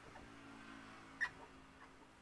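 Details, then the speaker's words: Dongfeng R180 diesel engine at idle: a steady low drone broken by a sharp, high squeak from deep inside the engine. Oil circulation is checked first via the rear engine cover. "Hai ini ada suara berdecit dari dalam mesin Hai Apa penyebabnya bagaimana cara mengatasinya"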